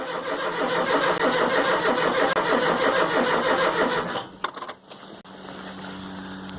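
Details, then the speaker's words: Rover Mini Cooper MPI (MEMS 2 ECU) after months in storage, in neutral, spark plugs refitted, fuel present; starter chugs evenly about four seconds with one weak cough, no start; injector delivery to be checked next. "no she still doesn't want to go but there was a small coffer"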